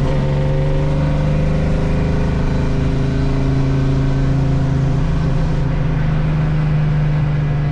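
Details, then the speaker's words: Transmission noise: a constant low droning hum with a steady tone over the engine while driving, still present after an attempted fix; owner suspects the gearbox input shaft and plans to check underneath for binding. "that didn't fix the problem still doing it as you could hear on the video"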